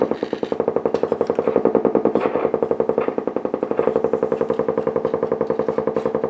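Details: Blaupunkt Florenz shortwave/AM/FM radio, probably 1960s, with broken dial strings; steady putt-putt pulsing about four times a second through the speaker, unrelenting motorboating. Owner suspects a capacitor or bad connection; chassis must come out to trace it.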